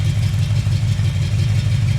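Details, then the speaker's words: Chevy 350 V8 valve adjustment, rocker nut tightened another quarter turn past zero lash: low lumpy idle with uneven exhaust pulse, no ticking; pumped-up lifter holding valve slightly open, normal and smooths out shortly; rough idle. "Bring it down another quarter. Now it's hanging the valve slightly, but that's perfectly normal. And you're going to hear it smooth out here in a But minute. it will smooth out."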